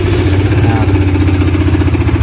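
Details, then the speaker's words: Honda CBR (new model) single, apparently rarely used and in very good condition, idling before repair. A rapid, even metallic ticking rides over the exhaust pulse and persists when revved, from the cam chain tensioner letting the chain slap. "Masalahnya begini, mesinnya mengeluarkan suara berdetik, bro."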